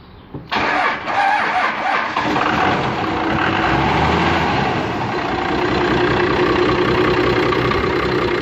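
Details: 1998 Cummins 12-valve 215hp diesel with P7100 pump, warm: cranks, catches and settles into a rough clattery idle with a deep rod knock; previously run low on oil.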